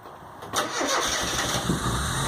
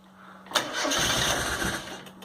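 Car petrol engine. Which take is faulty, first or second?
second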